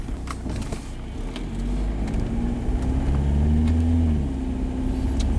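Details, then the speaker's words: 2005 Jetta 1.9L TDI BEW, JF506E/09A automatic, around -2°C, after replacing sticking transmission solenoids that caused no upshift cold: engine note climbs then drops cleanly on upshift, no flare or slip; normal upshift. "obviously that shifted just fine and we will taking on the short route test get it in all the gears"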